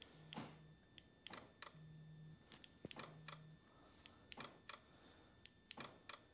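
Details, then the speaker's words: 2015 Ford Fusion, horn pressed after swapping the horn relay: sharp relay clicks, often in pairs, but no horn tone; relay and fuse have power, so fault lies beyond them. "i hear it clicking i don't hear no beep beep"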